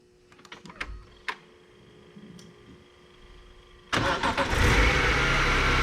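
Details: Cheap BMW E46 M3, first start after oil change on overfilled engine, jumper pack connected: clicks then rough idle with faint whirring overtone, very smoky; owner suspects an accessory noise that seems to loosen up.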